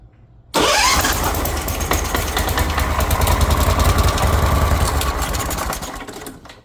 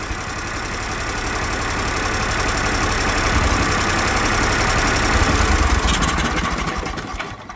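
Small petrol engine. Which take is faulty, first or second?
first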